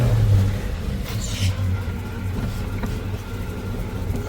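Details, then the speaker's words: 1970 Chevelle, cold running: lumpy uneven idle with a wavering low beat before smoothing out; engine needs a tune-up and shakes like mad when cold, with badly worn engine mounts letting it rock. "it's definitely in need of a tune-up that's for sure [Music] there you go she smoothed out when this thing cold starts it shakes like mad"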